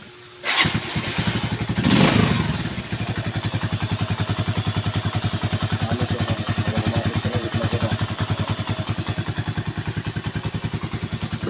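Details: Rusi single-cylinder motorcycle after overhaul and tune-up with valve clearance adjusted: catches after a brief crank and settles to an even thumping idle, about three and a half beats a second, with good throttle response.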